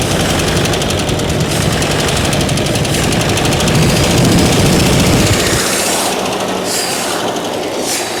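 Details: 1995 Dodge 12-valve Cummins diesel after injection pump refit: roars at high, uncontrolled speed with a rough rapid clatter, then cuts off abruptly. Diesel runaway.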